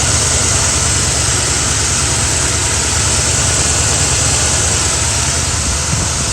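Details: Carbureted Mustang idling at night: loud idle with uneven, stumbling beat as one cylinder keeps dropping out; driver-side spark plug wire arcing to the header causes misfire and erratic idle; wire to be replaced.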